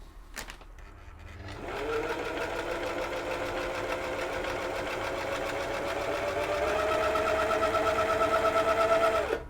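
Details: Old Husqvarna (White) model 2222 sewing machine after home servicing, sewing a zigzag stitch on fabric: motor winds up smoothly to a steady, even whir with light regular needle patter, pitch creeping up slightly; runs healthily.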